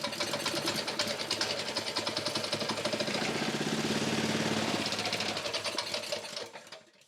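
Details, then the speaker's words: Honda small engine that would not start despite compression, ignition switch, choke and fuel tap checks: on starting fluid sprayed into the air filter elbow, fast even rattly firing holds a few seconds then dies, showing fuel not reaching the combustion chamber from the carburettor. "So, it'll start and stop. That means that fuel is not getting from the fuel bowl up into the carby through to the combustion chamber. So, we have an issue with the carby."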